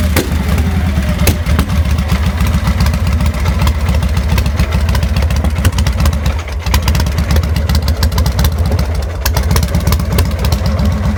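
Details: 2000 Victory V92SC motorcycle with rough idle and stalling: deep, lumpy V-twin idle with uneven, stumbling firing pulses that never settle into a steady beat; cause unknown.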